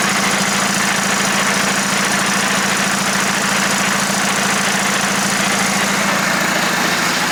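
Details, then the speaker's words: VW Jetta SportWagen during 4motion conversion, transmission just disassembled and rebuilt: even running with a coarse rhythmic low growl beating about three times a second; unhealthy transmission noise, cause unknown. "completely taken apart the transmission put it back together and as you guys probably heard it doesn't sound very good or very healthy"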